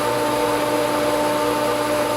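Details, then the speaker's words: Pool pump at spring opening pulling prime with a lot of air in the line; steady motor hum with a rushing airy hiss as the sound changes and the pump starts picking up, not yet settled. "sounds are changing here we go she's picking up come on almost there"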